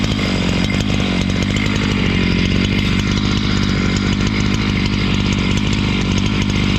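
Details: Husqvarna 268 two-stroke chainsaw, which stalled once warm and would not restart, cutting after air intake check: holds a high, steady buzz, pulling through the wood without bogging or stalling. Normal running under load.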